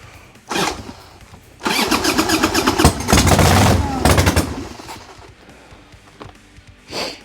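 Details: 1990 Harley-Davidson Sportster 1200 after 10 years in storage, with old gas drained, battery swapped and new spark plugs: the starter whirs, it fires and revs raggedly, then dies each time. Owner suspects lack of fuel and checks the petcocks.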